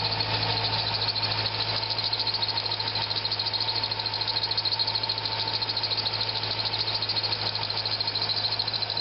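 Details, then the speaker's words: Corvette at idle with a steady high squeal that never changes pitch; spraying water on the harmonic balancer grooves silenced it, ruling out the pulleys, so the belt is slipping; tensioner spring possibly weak. "water on the harmonic balancer in those Groves makes it go away so as I said that eliminates all the pulley it's not a py so it's the belt"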